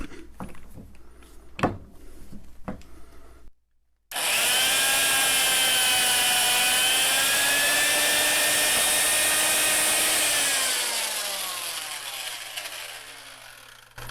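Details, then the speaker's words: Vintage Fein ASG 658 tapper motor labouring while tapping a hole with oil: high steady whine sags and drops in pitch as the tap bites; owner suspects the old, dull tap, with the holes slightly oversized for the tap size. "he you can hear the motor struggle a little bit on that one it could be CU this tap is old and uh and doll"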